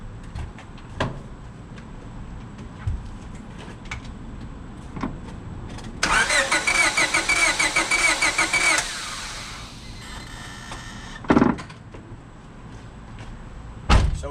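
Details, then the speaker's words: 2000 Honda Civic (EX, owner believes) with suspected blown head gasket, compression gauge on cylinder 4: short even starter cranking without firing, cylinder 4 shows no compression, air escaping into water jacket and oil passages. "with just cranking it on a couple times, you can tell that, all right, our cylinder has no compression. Cylinder 4 has no compression."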